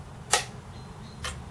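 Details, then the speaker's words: Commodore Amiga A500 with a faulty A372A board suspected of a clock fault, switched on; the floppy drive makes two sharp dry clicks about a second apart, no video, and it never boots. "I had vague recollections of this having a clock fault. And I'll just show you, if I switch the Amiga on, you can hear the floppy drive making noise there."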